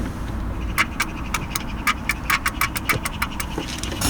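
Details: MK2 Golf GTI with door card and membrane off, switch pressed: the electric window motor gives a quick train of sharp clicks, about five a second, over a low rumble, but the window doesn't move.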